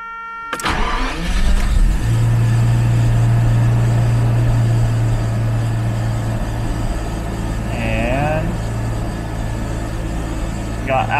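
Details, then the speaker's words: Jaguar XJS V12 convertible cold start after a transmission fix for a slight cold whine: engine cranks, catches and idles steadily with no transmission whine; reverse and drive engage right away. "no sound from the transmission and we got reverse right away we got drive so i definitely think a fixed issue and that's a big success"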